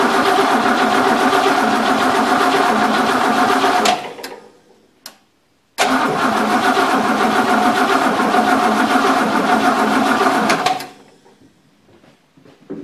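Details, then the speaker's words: 1963 Oldsmobile freshly reassembled, first start attempt on a weak battery: two bursts of fast, even cranking at about four turns a second with no firing, because the carburetor is empty and needs fuel. "yeah we'll give it a little bit of Go Juice here carburetor I'm sure is empty it's got to fill up so let's see if it pops see if it goes before my battery dies"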